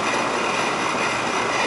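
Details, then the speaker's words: Old Rheem 3.5-ton AC condenser running after fixing low-voltage short from contactor that blew air handler transformer; poor airflow, low suction pressure expected. Steady even whoosh, no knocks, rattles or squeals; running smoothly. "just let it run for a while it's going to be low suction pressure I guarantee that because of um the way the air flow is"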